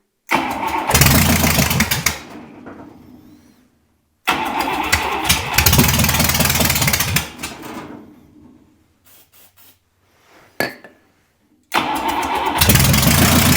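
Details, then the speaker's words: Buick 401 Nailhead in a rail dragster, first fire: three tries, each catching with a loud burst and running a second or two before stalling; fuel delivery issue, owner suspects a stuck carburetor needle and float, rebuild needed. "the carburetor foreign a fuel delivery issue right now I'm gonna guess that the uh the needle and Float is stuck in this cardboard I got to rebuild it but she'll run"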